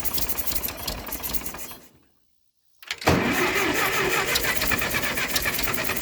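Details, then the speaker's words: Ferguson TO20 tractor that sat for years, choke on, distributor timing being adjusted: rough cranking, a brief silence, then ragged uneven firing that never settles; engine cranks and struggles to fire, fuel issues suspected. "oo did y'all hear that hot dog we getting somewhere now y'all woo woo let's try that again"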